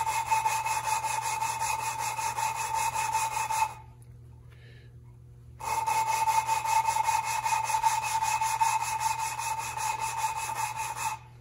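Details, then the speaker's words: 1974 Triumph TR6 cylinder head valve lapping by hand with light pressure: quick sandy rasping strokes with pauses as valve is lifted to redistribute compound; fresh compound still cutting the seat. "it doesn't need too much pressure and i guess you can hear the noise the noise is pretty sandy but every once in a while i lift it so the compound that was pushed out it comes back in"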